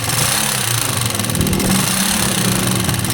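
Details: Rusi 125 motorcycle at idle, nearly run out of engine oil, head very black; fast, sharp metallic ticking over the hum; valve train clatter from low oil.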